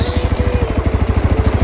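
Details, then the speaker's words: Yamaha Mio Sporty scooter that misfires and loses power at full throttle, after cleaning, fresh gasoline and idle tuning with a new pulser fitted: steady even low putter, no stumbles, clean normal idle. "So umandar naman siya mga paps. Umandar siya. Umandar. Normal lang umandar."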